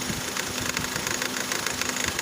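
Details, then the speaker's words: Engine idling with the AC on: light, fast metallic chatter with a faint tone; a screwdriver test separating the pulley stops it, confirming the rattle comes from the belt tensioner pulley, which is to be replaced. "Okay so that's an indication is with this tests I've confirmed that it is the pulley"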